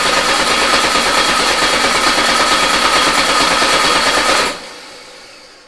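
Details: Volkswagen Beetle air-cooled engine sitting two years, run on a start stand with carburetor bowl primed: fast even cranking, about three beats a second, no catch or firing; cranks but won't start.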